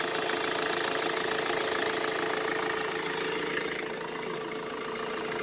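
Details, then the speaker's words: Mercedes Vito W639 OM646 diesel, with shorter belt routed past AC compressor pulley as temporary winter fix for squealing and knocking AC mount: quiet, even idle, no squeal or knock at engine front; normal idle. "хотя мы так визуально за шкив качаем ничего не болтается люфтов нема образом чтобы понимали можно решить временно проблему в зимнее время Ну что ж запускаем всё звука нет"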